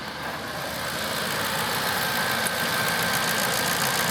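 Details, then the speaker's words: 2005 Ford Expedition King Ranch 5.4 V8 Triton with 79k miles, LPG conversion, mic close at the engine: fast, light, even ticking over a smooth idle as the gas injectors click on after switching from petrol; normal. "You hear that clicking now? That's the gas injector's just come on."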